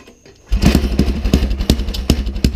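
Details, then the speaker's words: Rat rod wagon's small single-cylinder engine with newly fabricated exhaust, no drive chain fitted, run with the choke left on: loud, rich, lumpy loping beat like an angry lawnmower that sounds as if it has a cam. "I really liked it with the choke on. It sounded like a can. Yeah. I gotta hear that cam. Damn. It's got a cam in it. Ike left the choke on, and it sounds like it has a cam in it."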